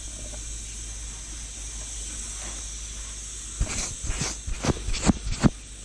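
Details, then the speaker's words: Turbo 265 Centura during a boost leak test with a homemade tester: constant high hiss of escaping air, then a few knocks; air leaks past the spring-loaded intake burst panel, possibly the methanol fitting too. "there's a lot of air moving around here let me just say that um and also with the with the um H with the nous burst panel"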